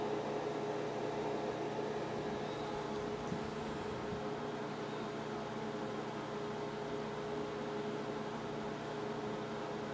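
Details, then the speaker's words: 2004 Avid AirSpeed broadcast video recorder with an Intel Xeon 2.8 GHz. The BIOS offers no fan control, so the fans always run flat out. Loud, steady whooshing roar with a constant hum; normal fan noise. "I went into the BIOS and this thing once to see if I could slow the fans down and there's no option for it the fans just run full tail all the time"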